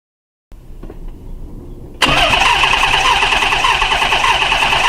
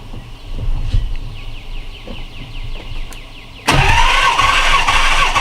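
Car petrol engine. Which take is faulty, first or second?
first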